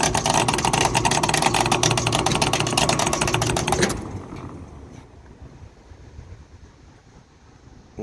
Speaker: wonder the contactor burned up the only reason that should chatter is one of these switches still going to chatter